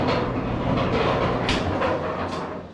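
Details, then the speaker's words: Speed Queen commercial dryer running: loud rolling grind and rumble with rhythmic clatter as drum turns; drum support rollers suspected worn, unconfirmed, to be replaced along with belt. "can you hear all the grinding and the noise that that is making it's because probably we don't know but i'm pretty sure the rollers we have to replace the rollers"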